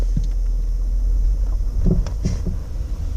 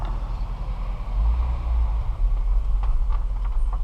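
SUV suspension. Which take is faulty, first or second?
first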